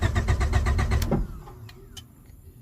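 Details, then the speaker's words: 1996-2000 Honda Prelude bought as a non-runner: the starter cranks at about seven even pulses a second but never catches, then only relay clicks. It won't start without the ignition power wire, which was restored with a junkyard part. "See, it won't start without that power."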